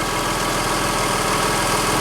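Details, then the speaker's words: Porsche 986 Boxster idling with recently replaced belt and water pump pulley: smooth even belt drive with no squeal, bearing noise, harshness, rattle or clank; belt and pulleys healthy. "Sounds good. No bearing noise, no harshness, no rattling, clanking."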